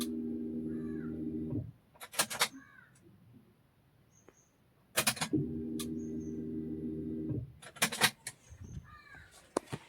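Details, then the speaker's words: Maruti Zen MPFI with a no-start fault traced to the fuel relay: key on gives a steady low hum from the in-tank fuel pump under the rear seat for about two seconds, then cuts off; normal priming heard. "ഇതാണ് നമ്മൾ ചാവി on ആക്കുമ്പോൾ പുറകിലെ സീറ്റിന്റെ അടിയിൽ നിന്ന് ടാങ്കിന്റെ ഉള്ളിൽ ശബ്ദം"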